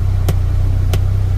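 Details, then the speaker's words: Polaris Ranger XD 1500 Ultimate audio speaker: sharp pops about every two-thirds of a second over a low drone, playing radio or Bluetooth. Restarting the vehicle and factory-resetting the display didn't help; the dealer found a faulty amplifier. "We're trying to listen to the radio or the Bluetooth or anything, and this stinking speaker keeps making that noise."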